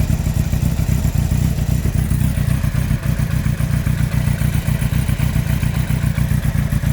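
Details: 2003 Yamaha R1 5PW inline-four, 41k miles: steady heavy clatter, about four knocks a second over the engine note at fast idle; cylinder 4 big-end bearing failure, cam chain, valves and top end fine; owner suspects harsh downshifts or false neutrals.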